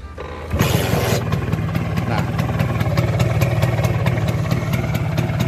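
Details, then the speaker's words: Old Vespa Super 150 two-stroke scooter at idle, checked before touring: catches after a brief crank and settles into an even, steady putter with no clattering or crackling from crankshaft bearings; squeaks heard are from the seat. Healthy engine. "kalian dengar ya seperti ini bunyi mesin yang normal, nggak ada bunyi berlebihan ya teman-teman."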